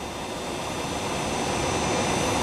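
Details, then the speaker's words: Allis-Chalmers 15 HP blower motor with regreased front bearing, no load at 60 Hz, 300 VAC, 2.7 A three-phase: a smooth, steady whir with a faint constant whine and no grinding, rumble or rattle. The bearing is slightly warm from new grease, and the motor runs healthy. "still sounding good. A little bit of warmth on the bearing from that new grease distributing. In case anyone's curious, that's running at normal speed, 60 hertz."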